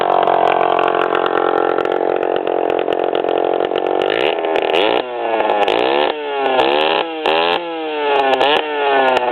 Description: 1997 DS80 with a pipe that broke off the head